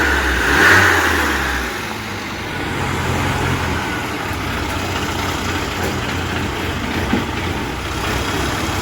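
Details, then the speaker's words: Mini on carburettor, final snap-throttle check after profiling the needle; revs rise then sag back to a lumpy idle without crisp pickup, showing too much fuel; fix was thinner damper oil. "Uh just the final checks on the snap throttle. And as you can hear there, I'm saying that it's too much fuel."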